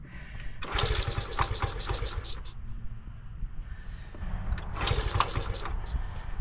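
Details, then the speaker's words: 1975 Honda ST90, on choke, air cleaner off, after a hard cold start: small single-cylinder putters steadily with two short rev blips and smooth return to idle; finally running normally. "there there it is finally finally it is running"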